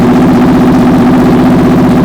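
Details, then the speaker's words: 2004 Honda VFR800 V4 converted toward CBR1000, custom LexTek exhaust, first start after sitting a long time, some smoke from pipes; steady, even V4 idle with regular pulse, no knocks or misses, runs cleanly. "guys, I am so stoked that this thing runs now."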